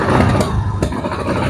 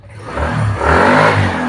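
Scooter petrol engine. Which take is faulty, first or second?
first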